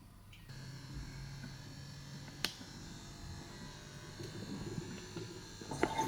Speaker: First, we will start with a bad working anti-ciphon device. You will see there are no bottles in here. And you will hear a gurgling sound from the pump.